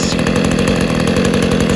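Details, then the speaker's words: Refurbished Stihl KM94RC two-stroke combi engine, cold-started on choke and primer and kept at low revs to run in the piston rings; main fault had been the carb: steady, even buzzy note with fast regular firing, no misses; running well. "good oh so yeah i'm not going to rev it too hard at the moment i'll work it too hard because i want them piston rings to run in and that but um yeah um running well sounds good"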